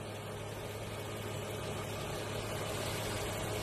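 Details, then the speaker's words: Toyota/Lexus GR-series V6 (2GR/3GR/5GR) warm idle after timing repair kit replaced (leaking hydraulic tensioner), heard with cover open: smooth and even, earlier timing chain/VVT rattle gone, no ticking. "现在已经没有听到之前的那个响声了。"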